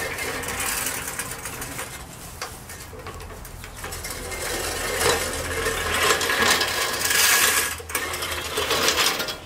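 Even whirring clatter as the reel spins past the bedknife with no squeal; the blades are cutting cleanly and running normally.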